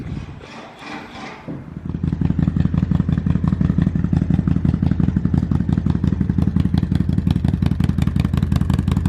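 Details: 2005 Kawasaki Vulcan 800 cold start: brief crank, then the twin catches and settles into an even, loping idle at about three beats a second; runs healthy before sale.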